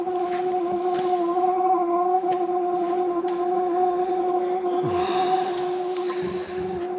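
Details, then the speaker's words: Camper van diesel hob/heater running and blowing hot air: steady low hum with the fuel pump ticking irregularly, plus odd scrapes and hisses; cause unclear. "yeah it's blowing hot air again bit like me really blows hot air now and again you can hear the pump clicking it's making some weird noises now"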